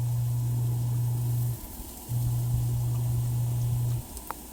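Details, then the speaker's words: Off-grid propane tankless water heater, first firing after install, pump-fed with high water pressure: low steady hum that cuts out and returns as water flow changes; burner lit and running normally, producing hot water. "Okay, the light came on, so let's see if it gets hot. I wish there was a way to have less water come out. Well, looks like we got hot water."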